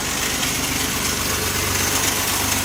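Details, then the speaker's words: 1973 Triumph TR6 barn find, first cold start after 38 years sitting, fed from an external gas jug: steady, even inline-six idle firing on all six, no misfire or knock, blowing out mush. "Blowing out a lot of mush, huh? [Music] Wow. Sounds good, though. Hitting on all six."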